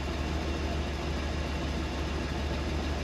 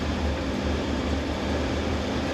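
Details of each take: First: 1976 Dodge Shasta RV engine: low, even rumble at a steady slow idle without hunting or surging after a sticking high idle was released by pressing the gas; proper idle speed. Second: 1976 Dodge Shasta RV idling stuck high with a steady, fast, even hum after starting; pushing the gas pedal releases it and it drops to normal idle.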